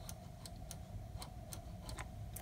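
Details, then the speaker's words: Mercedes R170 SLK Vario roof closing, microswitch at the right front lock triggered by the black cone on the top panel: series of faint, sharp clicks over a quiet hum; normal switch actuation. "as the top panel is entering the right front lock this black cone is triggering the switch hope you can hear it"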